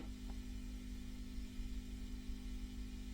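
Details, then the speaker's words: Restored 1970s Selmer Treble & Bass 50 SV valve guitar amp idling quietly with a low, steady mains hum buzz, common to these amps; attributed to a bad ground point, cured by moving it to star ground. "but you can hear this hum that we've got there. Now they all suffer from that hum."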